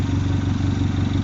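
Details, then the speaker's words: Mini Cooper S R56 at first start after front-end reassembly, check engine light on: steady idle with loud rhythmic chuffing pulsing each firing stroke. Exhaust blowing at the V-band clamp, which was not done up. "yeah so quite happy it lives i've got a massive blow on the exhaust i knew i would do um because my v bang clamp i was on my own i couldn't get it done"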